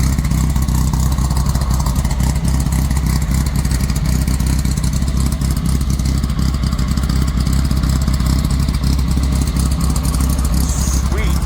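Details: VW Squareback running after the bug quiet-pack muffler was replaced with a Dynomax race bullet and the header leaks were fixed: a deep, throaty exhaust with a steady, even beat and clean revs, no puffing or ticking leaks. Normal running.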